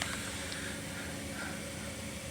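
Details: Gas water heater after fixing a buzzing noise and a gas leak: quiet, steady burner rush with a low even hum and no buzzing or flutter; burner jets running properly.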